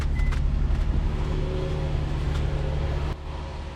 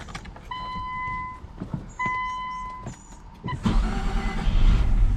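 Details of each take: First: Infiniti M35 after no-crank, no-start repair (replaced wiring harness, IPDM and ECU, temporary fixes): even low engine drone holding steady for three seconds without stumbling, then it cuts off; engine runs normally. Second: Infiniti M35 after new wiring harness, IPDM and ECU following no-crank no-start: warning chimes, cranks, catches, runs roughly about three seconds and dies; mass airflow sensor later found disconnected.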